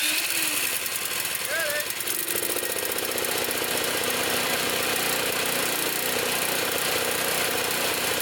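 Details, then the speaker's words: Trash-picked Toro Power Clear 621 E snow thrower, 163cc OHV four-cycle, previously wouldn't run, first start after repair, primed, choke on, warming up: steady even single-cylinder putter at fast idle, no misses or knocks, sounds good. "it going let it run let it warm up I'm leaving a choke on got it sounds good let it warm up"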